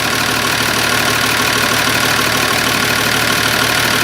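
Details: Massey Ferguson 1200 diesel tractor after turbo and manifold refit with oil lines primed, alternator fins no longer catching the adjuster bracket; steady even idle, fast regular patter and strong hiss, no catching or rubbing; normal idle.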